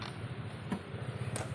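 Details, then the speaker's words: Top Mama electric stand fan on speed one: rough uneven metallic scraping under a low motor hum; worn bushings suspected. "yan siguro kung naririnig niyo ay para siyang nagkakayod ng bakal so sasabihin ko na ang problema niyan Pag mga ganyan ah pwedeng bushing"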